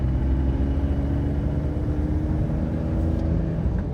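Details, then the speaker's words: BMW M3 E46 driving at steady cruise: a low road drone with a constant hum that seems to come from the tyres, front or rear unclear. "il y a tellement de sons étranges que je ne sais même pas par où commencer on peut en entendre un comme s'il tournait Il y a un bruit qui semble venir des pneus, je ne sais pas si c'est l'avant ou l'arrière."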